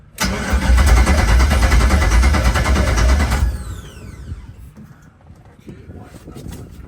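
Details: LS-swapped 1972 Chevy Nova, first start attempt after five years, new PSI harness and fuel plumbing: steady cranking flares into about three seconds of running, then drops off and stalls.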